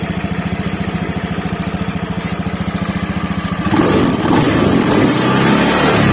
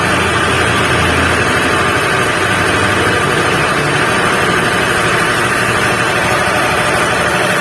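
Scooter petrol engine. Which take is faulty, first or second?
second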